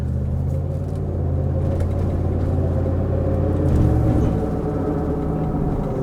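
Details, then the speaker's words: Ford 5.4 V8 pickup, recorded from inside while driving: steady low droning roar under road noise, tracking road speed not revs, from worn rear differential pinion bearings. "Right there. You hear all that roaring right there? All that all that rotation action."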